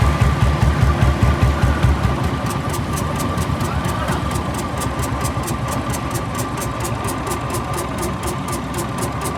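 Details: Royal Enfield UCE 350 single-cylinder after engine overhaul: steady thump with even regular ticking under background music, no knocks or rattles; rebuilt engine runs normally.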